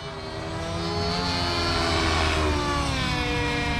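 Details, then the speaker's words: Nitro RC helicopter, OS 55 AG non-regulated engine, 30% heli fuel, power boost pipe, OS #8 glow plug, warmed and loaded at high head speed after high-speed needle adjustment: high drone, soft and blubbery; still slightly rich on top, mid very rich. "that mid is ruper Rich too so we know now we are still a little bit rich on the high side but it's pretty close but it's still a little rich"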